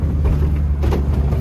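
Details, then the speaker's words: Project Daihatsu Charade crossing a bump: dull, irregular tak-tak thuds over road rumble. Suspension knock from the right coil-spring bushing, which broke after the left-side bushings were replaced. "Full time जी यहाँ पे हमारी गाड़ी जो है वो जी घोड़ा बनी हुई है और जी टक टक टक टक टक टक कर रही है गाड़ी।"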